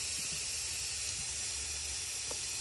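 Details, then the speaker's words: BMW N20 2.0T turbo engine, boost leak test with shop air at about 17 psi: a steady high-pitched hiss of air escaping on one side, indicating a boost leak. "okay it's about 17 right now and you listen you listen all around for any really bad leaks okay I already hear something I hear it on this side"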